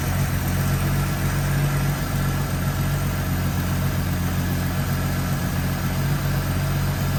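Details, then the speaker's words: AMC Eagle after turning each idle mixture screw out another half turn: smooth, steady low idle with an even beat and no stumbles or ticks; engine purring, idle speed could come down a bit. "Okay. That sounds a lot better. Doesn't it? that is purring."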